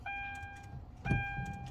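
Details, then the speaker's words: Hyundai Genesis 3.8L, first start-up attempt after an engine swap: two short, sluggish cranking bursts with a thin electrical whine and no catch; the battery is weak and the starter solenoid is judged weak, and cranking improved after tapping the solenoid. "Try again. Yeah, it's pretty weak. The battery is weak. It will spin."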